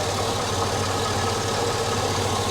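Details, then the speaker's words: Chevrolet SSR V8 bought at auction listed with internal engine noise (owner suspects a misdiagnosis), after a rack and pinion replacement: smooth, steady idle with an even low rumble and no knocks, misses or ticks. Normal idle. "it sounds it sounds perfect make sure that it's closed it sounds absolutely perfect"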